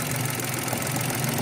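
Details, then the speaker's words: Mitsubishi Mirage hatchback, about 95,000 km, idling after a bolt-tightening quick fix: a light buzzing rattle persists, softer than before, from a plastic airbox or engine cover housing still loose on its mount; the bolt is loose, and cable-tying is the planned fix. "Meron pa rin pero hindi na katulad dati sobrang lakas o."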